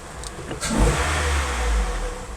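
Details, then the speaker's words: Honda CR-V RD1 with won't-start/stalling fault, after replacing main relay with facelift-version Mitsuba relay: engine catches after brief crank and revs cleanly, settles smooth and even with no stumble; relay fix works, runs normally. "Yeah. Everything seems normal."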